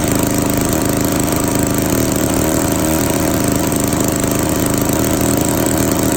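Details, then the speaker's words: Classic Victa 18 two-stroke lawn mower, primed and at half throttle, started on the second pull; it is leaking. Loud, steady two-stroke rasp at even speed with no misses or surging; running normally. "that was interesting it started on the second pool very happy with that"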